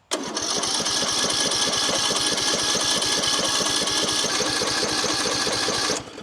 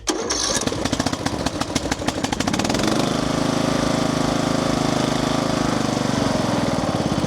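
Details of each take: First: Craftsman LT3000 riding mower with Briggs & Stratton single-cylinder engine, long unused: a steady fast cranking chug, about four pulses a second, never firing. No fuel reaches the carburetor because the fuel solenoid is stuck shut; it was later freed. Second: Craftsman LT3000 riding mower with a Briggs & Stratton single-cylinder engine, after carburetor work and a new filter screen, choked: cranks a couple of seconds, catches and settles into a steady, even run with no misfires; normal running.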